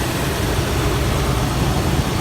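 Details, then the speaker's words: 2003 Toyota 4Runner V8 after replacing the idler pulley and belt tensioner assembly and topping off coolant: smooth, steady low idle with no squeal, chirp or ticking from the belt drive; normal idle after repair. "Should run smooth as butter. There it is. Running smooth again."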